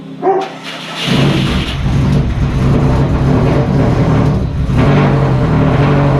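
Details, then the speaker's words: Subaru EJ207 fresh rebuild, first start on break-in oil after engine swap: short crank catches at once and settles into a steady, even boxer idle; engine builder says the slight piston slap is normal for these pistons on a new motor. "engine builder says uh that little bit of piston slap noise is normal for these pistons plus it's a brand new motor so it's got to be broken in"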